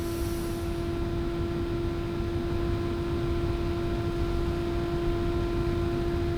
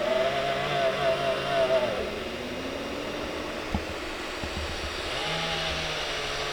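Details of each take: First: Elegoo Neptune 3 Pro 3D printer motherboard fan, original sleeve-bearing fan held close to the mic for tone comparison against a ball-bearing replacement. Steady, even hum at one constant pitch with no rattle or wobble; small cooling fan running normally. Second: Elegoo Neptune 3 Pro 3D printer after 4 weeks' use: front motherboard cooling fan with a failing sleeve bearing whirs with a wavering, rough buzz, worst at start-up while bed and hot end heat; replaced with ball-bearing fan.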